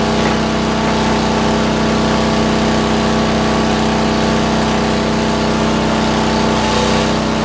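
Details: 40-year-old rope-start Lincoln Weldanpower 150 engine welder cranked all the way up for welding: constant loud drone with a steady tone at full throttle, no surging or knocking; it runs well.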